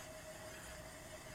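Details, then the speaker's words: 2002 Honda Accord, wheel hand-spun after wheel noise on test drive: quiet, even whir with only a faint light rub from brake pad drag; tread wear uniform, not tire noise; this wheel is normal, bearing fault is on the other side. "you spin this wheel you can hear that little bit of dragon is from the brake pads"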